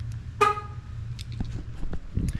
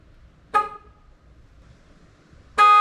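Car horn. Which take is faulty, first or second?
first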